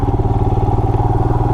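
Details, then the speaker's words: 2020 Royal Enfield Himalayan single-cylinder, ridden off road, mic inside the helmet; steady thump with a light, even tick on each beat that the owner doesn't normally hear; after an oil change, owner suspects valves need rechecking; ticking noise. "Maybe I need to recheck the valves after the oil change. I know I've had a few bikes where after the oil change you had to adjust the valves on the first oil change."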